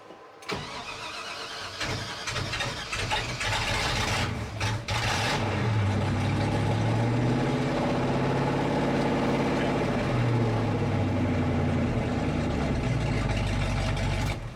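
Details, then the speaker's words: 1983 Chevy K20 V8, hot restart at about 210°: long crank, catches and stumbles rich, then settles into lumpy idle; flooded because the carburetor needle and seat stuck again. "Of course, needle and seat got stuck again. Well, that'll be a good test of the starter. Give us some air. Okay, looks good. Okay, it's really flooded."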